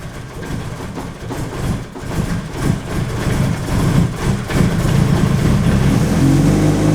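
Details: Nissan SR20 in a 240 after a turbo replacement, first start after oil-priming the turbo: rough, uneven idle that nearly stumbles then firms into a steady, even idle with no knocks; normal idle.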